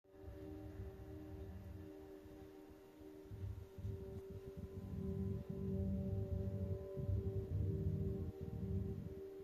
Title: 003soundbar_humming noise present